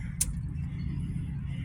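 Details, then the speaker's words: Jet well pump, breaker switched during replacement: steady low electrical hum with no spin-up or water rush; the motor is energized but the pump is seized. "Hear that? Yeah. That's the sound of the pump seized up."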